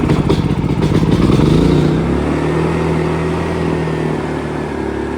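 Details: AIVolt AS8000411 generator with new battery, inverter board and stepper motor, CO, oil and low-fuel sensors disabled: loud uneven running, note sags after two seconds and keeps dropping as it shuts down; cause unknown.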